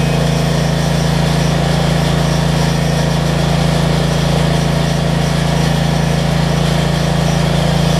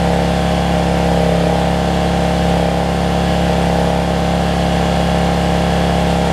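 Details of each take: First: Generac 7500EXL generator after unplugging faulty low oil switch and slowing throttle speed, loaded with 1500 W heat gun: smooth steady drone, no surging or stumbling, good idle control, about 123 V. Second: Generac 7500EXL generator running after unplugging a faulty low-oil sensor that had shut it down within 3–5 seconds; loud, steady high-pitched drone with no load changes, sounding a little fast, governor speed set too high and engine overspeeding before throttle adjustment.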